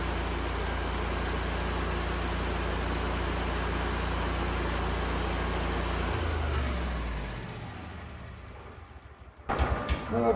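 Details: Lincoln Electric Ranger GXT welder, 2-cylinder engine, that turned over but wouldn't start (customer suspected bad gas). Started with choke, air filter off: steady, even thrum for about six seconds, then winds down at shutoff. Runs smoothly.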